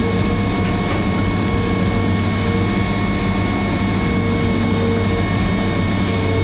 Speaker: release my coupler you're going to hear it start buzzing and that buzzing is the safety that's telling me my coupler is open